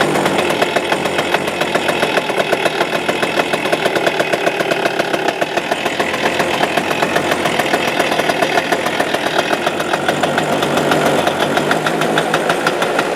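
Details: Suzuki Address 110 two-stroke engine, loosely sat in the frame with nothing bolted, starts first pull, and a fast, even metallic rattle tied to engine speed rides over the idle, unchanged, so the motor must come apart: a loose flywheel rotor.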